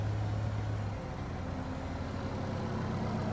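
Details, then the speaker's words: Equinox after a timing chain failure, restarted after clearing 16 stored codes; previously in limp home mode with the radiator fan running. Steady, even low idle with no knocking or ticking and no fan roar now. Normal idle. "Oh yeah. I can already tell the difference. The radiator fan's not running, which it was running"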